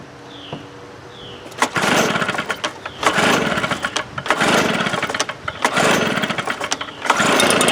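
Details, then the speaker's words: 1998 STIHL BR320 two-stroke leaf blower, about 24 years of heavy use, just choke-started by pull cord (no primer bulb): under full throttle it slowly comes up to speed, then surges and sags, gradually slowing while held wide open; dirty carburetor causing power loss. "It seems like when you give it full throttle, it slowly comes up to full speed. And even while holding it full throttle, you could feel it gradually and hear it gradually slowing down."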